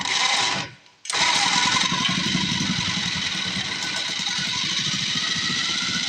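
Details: Cheap second-hand small-engine mini bike just started on choke and warming up, choke taken off too soon: the small single fires after a gap and settles into a steady, even buzz with no misfires, running normally.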